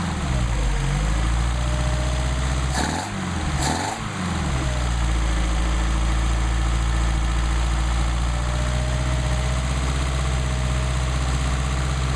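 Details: Mercedes-Benz 190SL with rebuilt replacement Solex carburetors on test, warming up before adjustment. Smooth steady low idle with one brief pair of blips, then even beat; normal warm-up idle.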